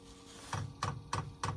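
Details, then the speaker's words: Chinese diesel heater running on kerosene in a chilly workshop (1.7°C inside, 2.1°C outside), at startup: sharp single clicks, about three per second, as the dosing pump normally draws the heating oil through. "oh yeah I have cuz I I've seen that on the internet making that noise so it's obviously sucking the heating oil through now"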